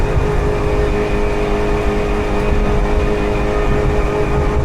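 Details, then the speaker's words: 2018 Alumaweld Stryker 18 boat with a Mercury 60 HP outboard (170 hours) at about 27 mph, trimmed up: strong, steady low drone with an even tone and no misses or knocks; running healthy at speed. "Really getting some speed. 27. I'm going to turn around here."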